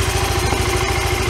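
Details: 1993 Yamaha Riva 125 scooter with a cheap GY6-type replacement carburetor. A fast, even single-cylinder putter with a steady beat and no stumbling; it idles cleanly.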